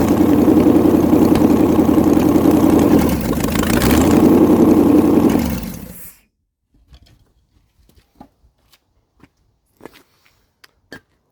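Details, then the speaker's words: 1956 International R180 truck with a junkyard 454 V8 and HEI distributor, on its first start. It catches and runs loud with a steady, even beat for about six seconds with no smoke, sounding like it fires on all eight even though one cylinder is hardly in there. "I mean Jesus there's no smoke at all it sounds like it's hitting on all eight which really shocks me because this cylinder is hardly in there"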